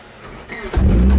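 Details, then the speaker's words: Nissan S13 240SX drift car in neutral, restarted after unneeded wiring was stripped from the harness: brief crank, then it catches cleanly within a second and settles into an even, steady idle; a healthy start. "so I'm just gonna verify the car still starts and I'll sweet dome light whoo yeah which it should because I didn't mess with anything that would have prevented it from starting"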